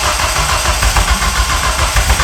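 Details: Nissan 200SX S13 CA18DET rebuilt with forged parts, first start attempt: starter spins at an even, quick chug but never fires.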